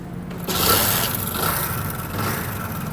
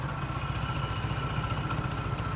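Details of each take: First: Honda Pridor single idling with a loud, dry, fast metallic rattle from the top end throughout, before repair; worn timing chain, fixed by timing chain replacement. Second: Honda Pridor single-cylinder motorcycle after timing chain replacement; chain noise and magnet noise gone, though the old engine keeps some minor noise. Even, steady idle with regular low thump, no chain rattle or ticking.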